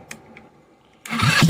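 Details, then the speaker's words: 2013 Yamaha Zuma with GY6 swap, new stator, starter solenoid and fuel pump, first start: a brief crank, then it fires first try into a loud, throbbing, steady run, with a little exhaust smoke from PB Blaster; a healthy start. "this sucker is loud got a little bit of smoke coming out of the exhaust pipe that's from that pb blaster"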